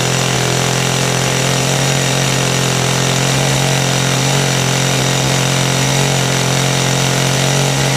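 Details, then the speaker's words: Kawasaki two-stroke hedge trimmer after repair, started on choke: loud steady high-rev buzz without stumbling or surging; carburettor has no high/low adjustment screws; normal running. "running it's running better just curious if it is actually a an adjustment on it there's something right in there"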